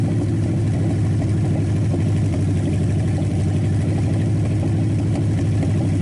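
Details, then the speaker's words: Packard 374 cu in V8, warmed up after oil burned off the hot exhaust manifold: deep, even rumble at steady speed, no knocks or misses; revs quick, sounds strong, shuts off fast, suggesting little cylinder wear and good compression. "And I really, you know, I like the sound of it. It revs quick and sounds strong as can be."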